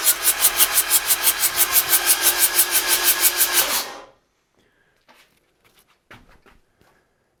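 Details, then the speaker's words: Freshly rebuilt Yanmar 4TNE98 diesel for a Caterpillar 216 skid steer, test run: steady cranking at about three compression beats a second for four seconds without catching; no fuel delivery because the shutoff solenoid is closed by default. "anyway nothing's coming out here uh the shut off is closed by default"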